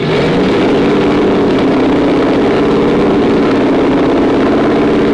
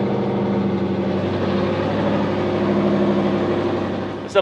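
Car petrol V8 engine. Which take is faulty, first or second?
second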